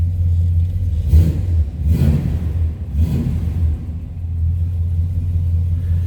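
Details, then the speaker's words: 1981 Chevrolet El Camino SS Tribute, 350 Chevy V8 with 4-speed manual; deep, steady burble with three clean throttle blips rising and falling smoothly, normal idle and revving. "Here's that 350. Slip around to the back. Nice little rumble out of it."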